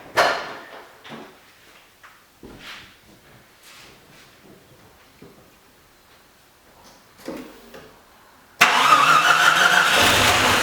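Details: Jeep Cherokee, crank no start after driving through a puddle, camshaft position sensor replaced and distributor reinstalled, timing possibly off, nearly out of fuel: scattered weak clicks and puffs then a loud rush as it briefly catches; probably has spark now.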